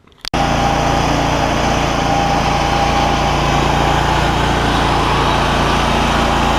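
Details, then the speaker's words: John Deere ZTrak Z915E mower, Kohler CV742 25 hp V-twin, after carb clean fixing sticky solenoid, run with fresh gas: steady even drone at constant fast idle, no misses, surging or knocks; normal running. "Thing's running like a dream now, which is fantastic."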